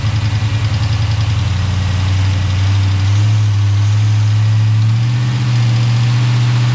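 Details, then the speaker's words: Chevy Tahoe with freshly installed ATK 5.7 LS V8 on break-in tune, first start, oil pressure about 40 at idle, 60 revved: deep even V8 burble smoothing as revs rise slightly, no knocks or ticks; normal idle. "Feels like everything's working though. Haven't checked the shifter yet. Need to rev it back up. I don't want to let it idle too long. All right, she's running."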